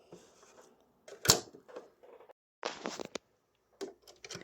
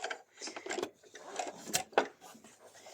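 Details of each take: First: Sewing machine with a horizontal bobbin, before maintenance: uneven stitching rattle with an extra sharp knock every few stitches as the bobbin skips. This calls for stopping and doing bobbin-area maintenance even though stitching still looks fine. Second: Sewing machine with a horizontal bobbin, after bobbin-area maintenance: light, uneven mechanism clatter at about one stroke a second with no heavy knock. The earlier bobbin knocking is gone and the machine works perfectly.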